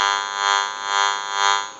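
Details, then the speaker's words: General Electric 27909 cordless 6.0 telephone, after repair: harsh steady buzz swelling and fading about once a second, then cutting out, RF power interfering with the open amplifier. "that's the interference that we were talking about the RF power and that can interfere with an open amplifier"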